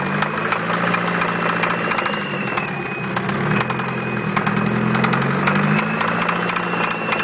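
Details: Dodge Neon petrol engine at idle: sharp, somewhat uneven rod knock about three to four times a second over the running note.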